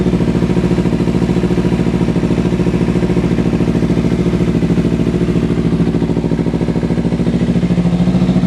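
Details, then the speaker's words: Small motorcycle with about 3,300 miles: steady, even idle pulse about three and a half per second with a deep, loud exhaust note from a lightly baffled pipe; runs smoothly. "here's a closer look at the exhaust it's not really much baffling in there this little thing is loud"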